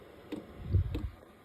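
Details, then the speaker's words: New diesel heater on a shuttle bus, first test on a hot day; sharp single fuel pump ticks about every 0.6 seconds over a quiet background, evenly spaced, normal dosing while heater blows hot air. "You hear a click. Every 1.7 milliseconds, I guess, it clicks, pumps."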